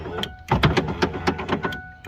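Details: 1995 Ford power window motor hums and clicks rapidly while the glass stays put, sticking in spots going up and down; its internal gear is slipping.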